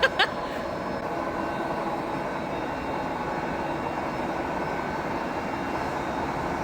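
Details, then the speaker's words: New large VFD lathe on first start-up in high speed range, about 300 rpm with a big chuck: a couple of clunks, then a smooth, steady whirring hum at constant speed, no knocks or grinding; normal spindle running. "Và khi trục chính khởi động, nó phát ra một âm thanh hoàn toàn khác mà tôi chưa từng nghe thấy trước đây."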